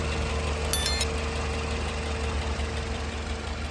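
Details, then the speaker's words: Toyota Camry with 2AZ-FE 2.4L petrol engine, a second healthy car of the same model used for comparison, idling. Steady, even idle with a smooth low hum and no ticking, normal sound; the ticking in the other car comes from damaged tappet (valve) cups. "जी हां तो दोस्तों इसमें से इस तरह की कोई टिप्पणी की आवाज नहीं आ रही बिल्कुल नॉर्मल अब्बास है"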